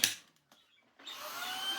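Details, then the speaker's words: Second worn Shark cordless vacuum running on battery, which dropped one bar: brief start then steady high-pitched motor whir holding even; motor runs normally. "Marvelous. That works too. So, the battery does work, although it has just gone down one bar."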